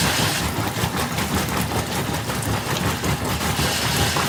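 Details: GE washer model WWRE5240D1WW makes continuous rough metallic grinding when the agitator rotates with the transmission body stationary, gone when the transmission body spins; agitator, coupler and splines look fine, cause unknown.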